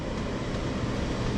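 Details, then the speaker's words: Oil furnace burner at -15°F after running out of fuel: steady low roar of the burner motor and fan, never catching a clean flame, recycling about three times. Air in the fuel line is stopping ignition; fix is refueling and bleeding the lines. "It'll recycle about 3 times."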